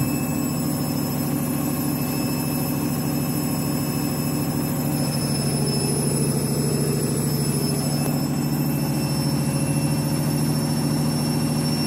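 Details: Washing machine final rinse and spin with heavy suds: steady heavy roar with a low rumble and fixed high whine through the fast spin, louder than it should be; cause not evident.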